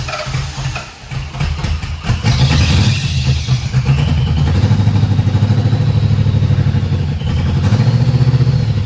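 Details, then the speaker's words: 1991 Mustang 5.0 LX with Vortech V1, stock high-mileage shortblock, GT-40 intake, F-303 cam; first fire with MSD bypassed, timing possibly ~3 teeth off: V8 catches into lumpy, stumbling lope, running on about five cylinders — rough running misfire. "technically that is not how it's supposed to sound look like yeah running on about 5"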